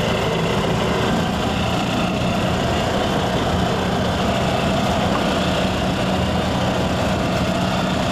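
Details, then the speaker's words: Yamaha G2 golf cart idling after cold start following carburetor, air filter and spark plug tune-up, first cold start in 6–7 years; steady even small-engine putter, no misses or stumbles, healthy. "Okay, that's now the first time that's happened in about 6 to 7 years, starting up in the cold. So at least our tune-up did help,"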